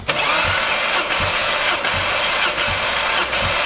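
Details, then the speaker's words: Ford Focus ST starter cranking with an uneven pulse, one beat per cycle lighter: the middle (third) cylinder reads 100 psi against 150 psi on the other four after dropping a cylinder while driving; cracked liner suspected, engine coming out. "Now 4 cylinders on this were reading at 150 psi, and 1 cylinder, the one right in the middle, is actually the third, was reading at 100 psi."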